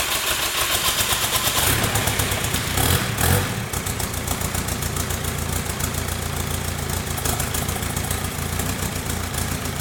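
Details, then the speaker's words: VW Caddy 2K with freshly swapped 2.0 BKD diesel, first start, no downpipe fitted. Engine catches and settles into a loud but steady, even idle with no knocks or misses. Normal idle. "so that's a van done dusted engine runs that's good obviously I didn't know anything about this engine sounds good"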